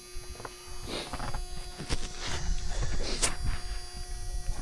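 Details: Off-grid wind turbine system inverter, about one year after install, charging with 400 W load pulling battery down to 11.3 V: steady mid-pitched electrical buzz under knocks and handling noise; cause unclear, owner suspects a failing battery.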